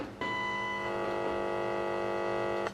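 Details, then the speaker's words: High-Tech HD 4000 FM walkie-talkie being diagnosed at the audio chip, signal checked at pin 10: a clean steady buzzy test tone comes in sharply, holds for about 2.5 s, then cuts off; the chip and speaker pass the signal properly. "and you can hear we're getting that on the speaker so we know that this chip is okay because if we pop the tone on the sign we put the tone on as well we can hear the tone"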